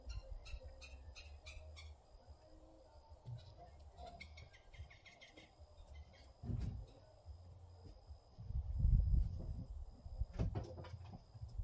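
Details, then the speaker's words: Bobcat E80 excavator, hard to start and stalling after start, with water-in-fuel light on, starts quickly and keeps running with a steady low diesel rumble after the fuel filters were changed. "one wow now that was a big difference see how fast it started up didn't cut off that's great"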